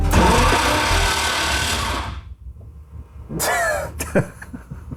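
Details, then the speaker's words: 6.0 LS-swapped Nissan 240SX, first start attempt: harsh rough grinding whir for about two seconds while cranking, then it stops, engine puffing; possibly rubbing or poorly engaged. "That sounds That sounds gnarly. That sounds Yeah. That's the kind of sound. Definitely. That's just how it sounds."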